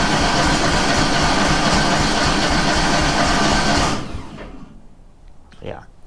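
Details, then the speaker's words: Kohler 18 engine running on only one cylinder, flooded with strong fuel smell, choke turned off, throttle three-quarters: steady cranking about four strokes a second for four seconds, slight pop but no start; cranks but won't start. "it should have ran by now so you did i don't know if you can hear it but it did kind of try to pop"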